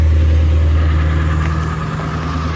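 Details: Ford Power Stroke 6.7L diesel, sat about six weeks, cold start at 11°F after a glow plug key cycle: heavy low drone holds steady and even from the moment it fires, no stumbling or knocking, with white smoke from cold cylinders. Healthy cold start and idle.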